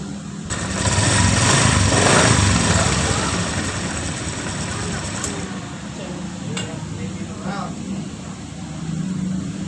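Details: First-generation Honda Vario 125 scooter after replacing the CKP sensor with an NPP part to cure hard starting and a non-working ACG starter. Engine fires and idles with evenly spaced beats about four a second. Normal start and idle.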